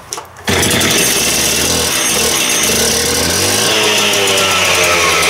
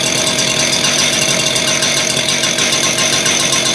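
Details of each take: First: Freshly rebuilt concrete saw started on choke after a couple of primes: a short cough, then a high, steady, even scream with no stumbling. The saw is running cleanly. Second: Freshly rebuilt two-stroke concrete saw, started with choke and primes, new clutch still wearing in: fast, buzzy rattle held at a steady high pitch with no dips; owner thinks it idles a little too high.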